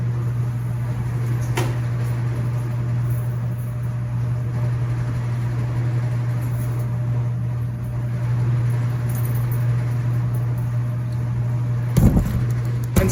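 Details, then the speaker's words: Laundromat non-top-load washers running empty, spinning at top speed: steady low even hum, quiet enough to converse, apart from a couple of clanks; normal healthy spin. "that's what you want to be able to do is you want to be able to have a conversation with you know i've got non-top loaders running with nothing in them so they're able to spin at the highest velocity they can"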